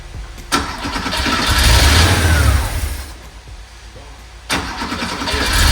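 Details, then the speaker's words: 1982 Porsche 911 Slantnose first start after 20+ years stored, fuel system cleaner added, fuel distributor and filter still uncleaned: cranks, catches, surges unevenly, stumbles and picks up with smoke; rough hunting idle, owner thinks it just needs cleaning. "that's that is a solid little run right there little runs it just needs to be clean that's all not bad smoke show"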